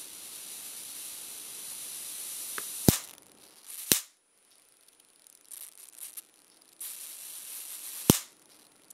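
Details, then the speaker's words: Amazon-bought high-voltage generator module on low-voltage input: three sharp isolated cracking snaps over faint hiss as spark jumps the gap, with smell after a while; normal high-voltage arc discharge. "it's a little static electricity you guys can see that when it gets up that close and you guys can smell after a while"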